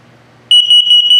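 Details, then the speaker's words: 2022 Sunset Trail 272BH RV LP gas/carbon monoxide detector on its test feature: sudden shrill high-pitched beeps, about five per second in a fast continuous burst; the carbon monoxide alarm pattern in test mode. "This is a test feature, so you can hear it here. LP is good, carbon monoxide coming up,"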